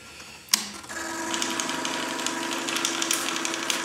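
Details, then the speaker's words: Hitec 7950TH servo on a rudder, swapped in from the elevator where it held well: fast uneven high-pitched buzzing chatter, about four bursts a second, hunting at center and elsewhere; servo or linkage fault undetermined. "and you can see it does it not only at center it's all over the place so even with the servo that was holding well it still does it there"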